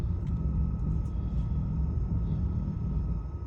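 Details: 2011 BMW 335i E90 N55 at cold start: low, lumpy, wavering idle that stalls when very cold and runs fine once warm, with engine light on; a mechanic suspects a failing high-pressure fuel pump, unconfirmed.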